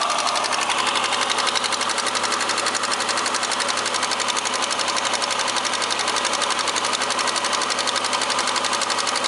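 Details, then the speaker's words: Opel X30XE 3.0 V6, cold start with check engine light on: an even, rapid ticking knock of about a hundred a minute throughout; owner suspects the cylinder 1 hydraulic valve lifter. "Заводим на холодную, горит ЧЕК Подозрение на компенсатор клапана первого циллинра"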